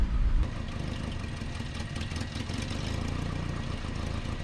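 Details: 1988 Nissan D21 truck, 2.4L Z24 engine: low, uneven idle with a lumpy, slightly hunting beat and no clean rhythm; rough idle, vacuum line leak diagnosis.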